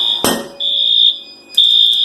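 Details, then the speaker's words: Arduino safety system on a 50 W Chinese laser engraver: a shrill, steady siren blasts in bursts with short gaps. The over-temperature alarm trips at 150 degrees and also shuts off the air compressor. "So right now I have it hit, so if it hits 150 degrees, then it will sound the outside alarm, and it will also make sure that the compressor is turned off."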